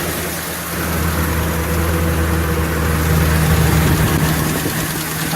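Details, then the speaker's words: 2015 Ford Super Duty 6.2L V8 still misfiring after new plugs and coils: deep idle with a quick uneven tick about three per second. Noise seems to come from one side, possibly a loose spark plug; a hole was found. Ticking noise at idle. "know what that noise is that could be a loose spark plug"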